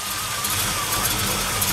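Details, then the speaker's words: 1973 Camaro Z28 V8 with a radical performance cam, started once a month: choppy, loping idle with distinct individual cylinder pulses. This is normal for the cam, which is inefficient at low rpm. "think you can hear the individual pulses of the cylinders as they fire you won't hear that in any modern muscle car that's for sure yeah you can't have a cam like that too much pollution too inefficient"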